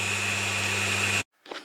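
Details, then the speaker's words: Newly fitted Stuart Turner shower pump that cured an electric shower running intermittently hot and cold, heard up close: steady even hum with a high whirr, no knocking or surging, then a clean stop. Healthy pump, inaudible from the bathroom. "Fairly quiet running, you can't hear it from the bathroom, but obviously you can hear it when you're standing next to it, so I'm really pleased."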